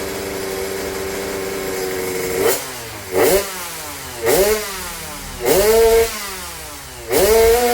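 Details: Weak compression: five quick throttle blips over a hoarse idle, each rising and dropping back cleanly, with a snoring note riding the engine that can mask the weak compression.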